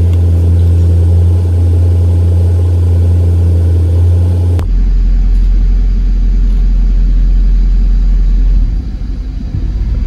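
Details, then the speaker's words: 1997 Jaguar XK8 V8, 12,000 miles, runs smoothly then cycles to engine fault roughly every minute, turning into an uneven stumbling rumble; intermittent misfire on 4 of 8 cylinders with odd shifting, traced to a bad ignition module. "Okay, we're running fine. And there it goes to engine fault. It's been cycling back and forth like that."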